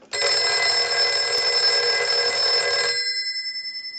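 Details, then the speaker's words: Western Electric 302 rotary desk telephone on the bench after transmitter replacement, ring cycle triggered from a line analyzer; loud bright bell rattles steadily about three seconds, then rings down cleanly; normal bell ringing. "now what we want to do is we want to go ahead and plug our line cord in and we're going to use our analyzer and we're going to ring this unit so we'll go ahead and start the Ring cycle"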